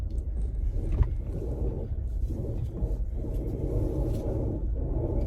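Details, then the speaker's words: Ford Explorer (2012–2018 generation) with only 58,000 miles: rough, uneven grinding and rubbing over a low rumble as the wheel turns; failing electric power steering rack, must be replaced. "So that's what that noise is it's a steering rack. These are electronic steering racks, and they need to be replaced after a while."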